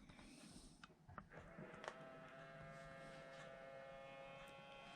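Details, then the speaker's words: Moebius Seaview r/c model submarine surfacing: ballast pump starts about two seconds in and settles into a steady, even buzzing whine as it blows the tank; normal operation. "And you can see that the model continues to rise until the ballast tank is empty, and that'll be accompanied by a gurgling sound."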